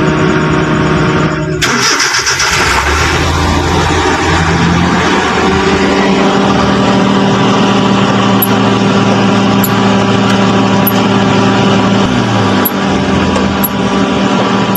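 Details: Suzuki Transformer K6A engine after pressure plate and clutch lining replacement, gear oil refilled; starts and settles into steady even idle, clutch now quiet when pedal pressed, no squeal or rattle.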